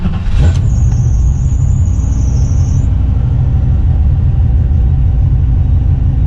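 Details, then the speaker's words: Fox-body Mustang after installing a fuel pump speed controller (10-gauge feed and grounds), first start; deep, even rumble holds steady at raised high idle, brief faint squeal early on. Idles like stock; fuel pump working properly. "Like stock, guys. High idle the way I want it. So obviously the fuel pump is doing its thing."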